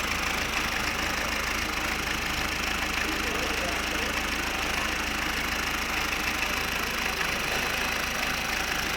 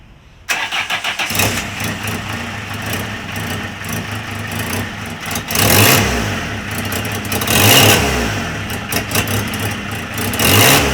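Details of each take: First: 2003 Fiat Doblo 1.9 JTD diesel, 248,000 km, twice rebuilt, after repairs including new coolant hose, no water leaks: even diesel clatter at steady idle, regular beat, no misses or knocks; healthy idle. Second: 2003 Fiat Doblo 1.9 JTD diesel, engine rebuilt twice, starting and idling: sharp puffing tick over the clatter, louder on each blip; exhaust manifold leak, two bolts backed out and two loose, damaged exhaust flex pipe.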